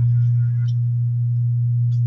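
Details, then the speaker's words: LD/ALL System Curve 5 active indoor speaker (amplified, with sub, satellites, mic mixer) at high volume: loud constant low hum that never changes, suspected in sub line board; ground fault from rusted, wet volume potentiometers. "Kung naririnig niyo haming lakas ng ground niya So duda nito dito sa sub na ang problem itong sub na line"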